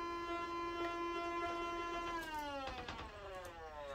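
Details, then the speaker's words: Optoma GT1080 Darbee DLP projector with lamp error, colour wheel index mark fallen off and wheel overheated: steady high whine with wavering overtone dipping as the wheel slows, vibration felt; failing, unbalanced colour wheel. "oof that sounds bad yeah hear the color wheel that's bad so i think we found oh i can feel that vibration"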